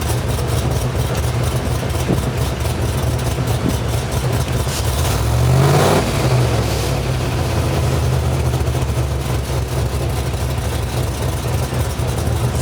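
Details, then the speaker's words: Mild-cammed V8 (216/220, .550 lift, 114 LSA) tuned for idle chop: fuel trims and idle air dialed in, about 18° base timing, ±12° over/under idle timing corrections. Deep loping idle with rhythmic rise-and-fall chop and one throttle blip; healthy. "so what that does is it gives the idol basically that heartbeat that cammed um here this is my my uh timing table that up and down up and down that's literally the chop of the cam"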